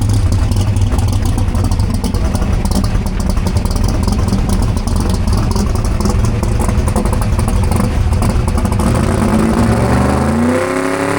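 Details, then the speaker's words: Race truck, V8, full-throttle drag pass: high-rev roar with sharp metallic clanks late in the run before lift-off; something clanking loose, source unknown. "It was It was okay, but there's something clanking around in that thing. Did you hear it down at the end?"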